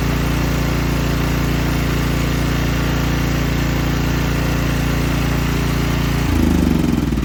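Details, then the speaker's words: Small generator after pull rope replacement, unrun 6 months, started first pull; even steady put-put at constant speed, smooth speed shift near end without stumble; healthy running. "that's crazy first pull I have never had anything start on the first dog on pull 6 months since it's been ran"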